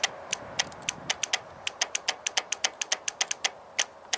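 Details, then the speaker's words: Bank 2 oil control (VVT) solenoid from a 2001 Toyota Avalon 1MZ-FE V6 at 87k miles, energized on the bench: crisp, solid clicks in quick irregular bursts, retracting fully, seems operational. "Nice solid click. Does it retract all the way? I think so."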